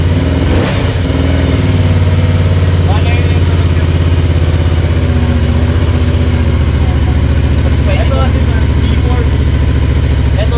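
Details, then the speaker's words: Benda Dark Flag 500 Commander, 500cc V4 with belt drive, stock classic exhaust: deep, even burble holds steady with no misses, knocks or rattles; stock exhaust sound, normal idle. "Kasama na dito sa Yan yung tunog ng stock."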